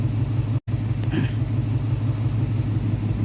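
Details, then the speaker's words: Nissan 350Z V6 idling with a low, uneven pulsing beat; scanner shows cylinder 4 misfire, with heavy exhaust smoke, check engine light on and fuel gauge not working; one cylinder misfiring at idle. "May problema ong 350 ko eh. Nagmi-miss fire tapos ah nag malakas na yung smoke sa exhaust niya."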